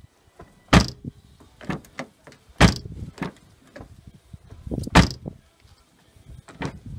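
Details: 2013 Ford Fiesta rear door after repairing the failed latch actuator (rivet re-secured with glue): several solid, clean door thunks each catching firmly, no rattle or grind; latch working properly.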